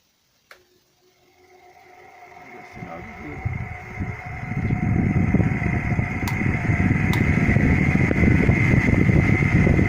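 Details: Cadence circulating fan brought in for noise switches on and spins up into a loud, rough rattling rumble over a steady motor hum, then stops; the cause is a worn motor bearing.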